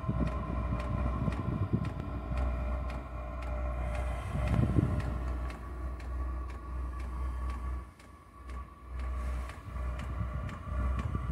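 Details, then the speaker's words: Diesel heater just fired up on its first biodiesel test, with residual kerosene still in the line: steady low burner rumble and regular soft fuel-pump ticks. No smoke seen from the exhaust; running smoothly. "right so it has fired up we'll have a quick look at safe have a look at the exhaust so I can't see any smoke out that exhaust at"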